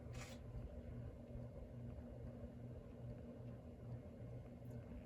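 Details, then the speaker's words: Antique Westinghouse ceiling fan on a solid state speed control, recently oiled after being stiff: soft, low, uneven thumps a couple of times a second under a quiet hum; shaft or bearing, owner fairly sure it's the bearing. "there's also going to be some thumping going on which is either the shaft or the bearing I'm not really sure I'm pretty sure it's the bearing making that noise"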